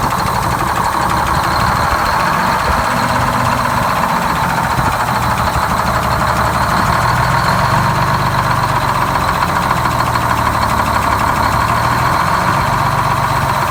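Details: GM 4104 bus two-stroke diesel sitting about nine years, after freeing four stuck injectors and replacing a bad starter: steady, even idle with dense constant clatter and no misses or surging; running healthy.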